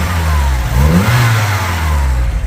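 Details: 1980s VW Polo Mk2 "Breadvan", 94,000 miles: small four-cylinder revs up cleanly and drops back smoothly with steady even note, no knocks or misses; healthy.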